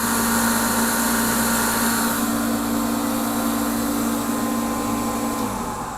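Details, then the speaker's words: Torpedo heater (Century/ProTemp) running with its cover off, pump pressure reading high against the 3 psi spec: blower and pump hum steadily with an even whine, but no burner roar builds. It fails to ignite. "but it did not ignite Let's uh see what else could be possibly wrong"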